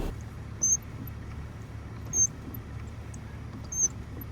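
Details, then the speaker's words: BMW X5 E53 steering column: turning the wheel, it catches at one point then spins freely, with short, sharp, high chirps about every 1.5 s from the bottom of the column; the steering shaft universal joint is dry and seizing. "the steering wheel rests at this point, passes the point of resistance and starts to spin freely, a whistle is also heard at the bottom of the steering column,"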